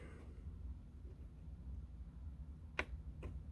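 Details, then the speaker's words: 2006 Mack instrument panel: a faint single click, then a second fainter one, when one pin is pressed; owner believes the pin is loose in its solder joint and plans to reflow it. Cause suspected, not confirmed. "there it was a little bit of a click right there just a very slight click when you push on it"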